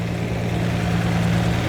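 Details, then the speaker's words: Lamborghini V12 with 12 carburetted cylinders, just balanced but before mixture screw adjustment: deep, steady low idle with an even drone. Rich mixture, estimated about 6–7:1 instead of 14:1, smelled rich; the screws are then adjusted by ear. "is actually the ratio between air and petrol I was talking about there is too much fuel going in for the air so it's not 14 to1 it's maybe 6 to1 or 7 to1"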